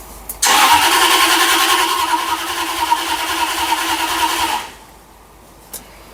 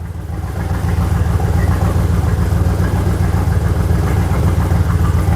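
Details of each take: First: 2000 Jaguar XKR X100, first start after over a year, following inclination sensor replacement to clear P1260 theft-detected immobilizer lockout: engine catches immediately, settles into smooth even idle for about four seconds, then shuts off cleanly; healthy start. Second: 2000 Jaguar XKR X100 first start after more than a year, following inclination sensor replacement for P1260 immobilizer lockout; no exhaust fitted, loud open-pipe roar with lumpy idle, engine light flashing, cause not confirmed: rough idle.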